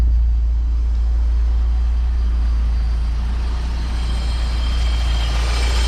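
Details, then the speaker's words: BMW E30 with M54B30 engine swap, cold start after sitting two weeks: fires right up into a steady, even low idle with no smoke, soot, ticking or rattles; healthy cold idle. "But here it is, cold start, 2 weeks from starting. Fires right up. No smoke or soot."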